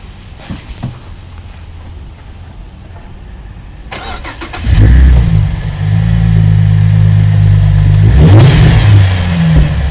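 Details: 2007 Holden VE Commodore Ute, 3.6L petrol LV2975 engine, just over 100,000 km: quiet until the starter catches, then smooth even idle rising cleanly on the rev, no knocks or ticks; healthy engine.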